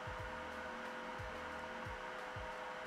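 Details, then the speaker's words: Creality K1 side fan after mounting a 10 mm aluminium plate with gecko tape on the panel: steady airy rush with thin high tone, peak now 1.6 kHz, overall about 56–57 dB, 2–3 dB quieter; normal running. "56 57 so between 2 and 3 DB less than when we did didn't have this plate and the gecko tape that's really interesting"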